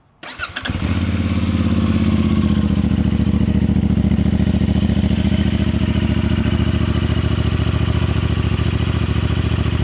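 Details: New 2025 CFMoto 450MT twin: quick crank, catches cleanly, then settles into a steady, even idle with a smooth low pulse; healthy engine.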